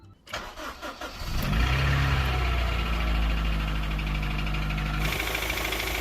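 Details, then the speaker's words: Honda CR-V with early K20 petrol engine, after a long high-speed run held in fourth gear: cranks, starts and idles with a light, fairly regular ticking; owner suspects camshaft lobe galling, not confirmed. "so when I got to my destination there was an awful awful sound from the engine"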